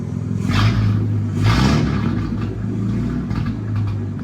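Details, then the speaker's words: 1929 Chrysler Type 66 Speedster, newly finished after teething problems: deep, even rumble swelling cleanly with two quick throttle blips, then settling smoothly at idle; normal running. "Oh, listen to that. That sounds so nice."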